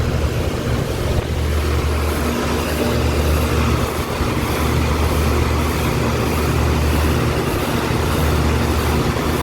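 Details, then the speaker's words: Home central AC outdoor condenser units (upstairs and downstairs) blowing hot air out: steady, even fan whoosh over a low compressor hum, no rattles or squeals. Normal AC condenser operation. "you can hear you can feel the hot air coming through I mean your AC is working fine"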